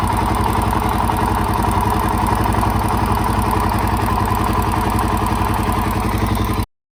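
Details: Suzuki DRZ400SM, warm idle after top-end rebuild (valves in spec, timing marks correct, MCCT set properly): steady light tick about three to four a second over the single-cylinder thump, from the auto-decompressor; normal.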